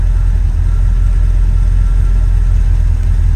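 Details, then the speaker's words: Warm car with remanufactured original Quadrajet 1708 carburetor, coolant about 195°F, oil good: deep, even rumble back down at about 800 rpm after a rev, steady with no stumble or hunting. "went back to about 8 and it settles so yeah it's about [Music] 195 good oil"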